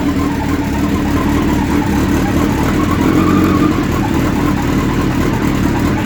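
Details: Suzuki Hayabusa at idle, from fully cold but same at any temperature: a steady, constant whir rides over a busy, even idle; the source is not clear and the cause is not yet known. Engine whirring noise.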